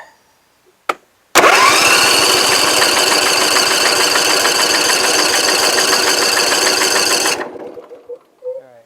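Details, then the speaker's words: Briggs & Stratton 24 hp twin on a Husqvarna mower, low on power, compression test at wide-open throttle: brisk even cranking, nearly four chugs per second; cranks well, built 145 psi, somewhat slowly. "you saw it cranks really well it built 145 lbs of compression"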